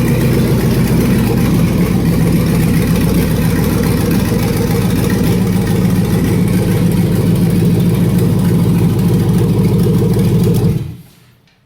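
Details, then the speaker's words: Vortec V8 in a Yukon frame, first start with an aftermarket Chinese wiring harness and booster pack: fires right up into a loud, raw but even idle with a steady lope, no misses; harness works. "Wow, it runs. It sounded okay, Terry? Yeah, sounds good. Yeah, sounded good. It fired right up."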